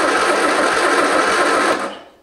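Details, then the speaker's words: 1973 MG Midget parked over 40 years, timing out and plug wires reordered into a guessed firing order: starter cranks in quick even pulses about two seconds then cuts out, never catches; owner wonders about wires or fuel. "here that did something worse to it let's make sure all the wires are still on huh enough fuel maybe let's try that"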